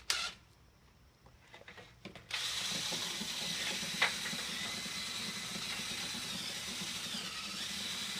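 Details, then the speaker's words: Brush on a drill spun through a clean rigid galvanized-metal dryer vent (Whirlpool Duet front-loader, cleaned a year ago, dog hair): after a quiet start, even rattle against bare metal; a dirty vent would sound muffled. "Yeah, it's pretty clean. You can hear it rattle around in there on the metal. If it was dirty, it wouldn't have a muffled sound."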